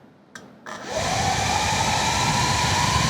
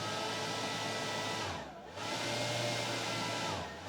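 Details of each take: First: Atlas 40V brushless lithium leaf blower with its variable throttle control disconnected: starts at very low RPM, then the motor whine climbs steadily in pitch on its own. Uncommanded speed creep. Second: Atlas 40V brushless lithium leaf blower at its slowest variable-throttle setting: soft steady whir, even pitch with a brief dip, no rattle or grind. Normal low-speed running.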